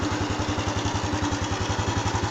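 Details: Honda Wave 110i that would not start, after fitting a new genuine fuel pump; even putter of about nine beats a second, steady unbroken rhythm, no misses, idling smoothly.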